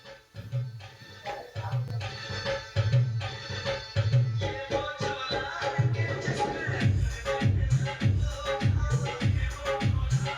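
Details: Ahuja 250 W amplifier after both mismatched transistors were replaced plays MP3 music clean and steady, with firm bass hits and no hum, crackle or breakup; normal amplifier output.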